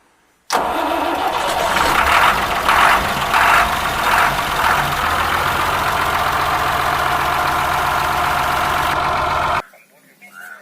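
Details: Ashok Leyland bus diesel engine cold start after many years unused: cranks briefly, catches and settles into a rough uneven idle with gusty surges.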